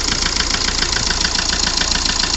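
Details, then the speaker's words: 2009 Hyundai i20 diesel, late starting: steady idle with fast, even knock over the clatter, louder at start then quieter; knocking traced to number four cylinder, fixed by engine overhaul. "हमारे गाड़ी में जो आवाज ए रही थी knocking type जो आवाज थी हमारे इंजन में जो साउंड ए रहा था वह कर नंबर सिलेंडर होने की वजह से ही ए रहा था"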